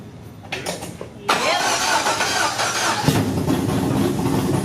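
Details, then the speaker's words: LS V8 swapped into Datsun 280Z, after cam gear replaced: engine catches after cranking and settles into an even idle with no misfire; all 8 cylinders now firing, though oil pressure reads 0 at idle. "Oh my gosh, that sounded sick. Yep, that was all the cylinders. Finally, we have 8 cylinders firing."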